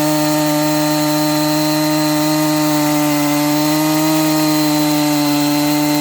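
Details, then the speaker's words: Newly built Husqvarna 268XP chainsaw on its first cuts during break-in, 24-inch bar: steady high two-stroke howl in the cut, slowing down and speeding up as the new engine starts to wake up; RPM surging under load. "It's kind of slowing down and speeding up. This thing's starting to wake up."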